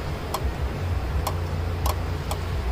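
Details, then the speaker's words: 2007 Honda Accord LX 2.4L at idle with sharp irregular clicks from the AC compressor clutch short-cycling on low refrigerant charge (about 20 psi low side, 110 high side); car also overheating, radiator fans not working. "hopefully hear that clicking that's our uh compressor the compressor does turn on while the car is running but it's low on charge because it pulled down like 20 psi on the low side the high side was like 110. so it's definitely low on charge"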